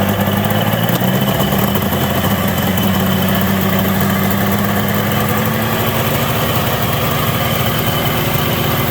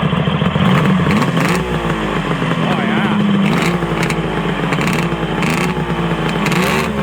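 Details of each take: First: ZRT 600 two-stroke triple snowmobile idling high around 3000 rpm; brake cleaner sprayed at crank seal, rpm slowly drops: fast steady droning idle, confirming crankshaft seal air leak. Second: Arctic Cat ZRT 600 two-stroke triple snowmobile after its plug boot was refitted: a busy, buzzy idle and even throttle blips with no misfire or stumble; the pump works and it runs as it should.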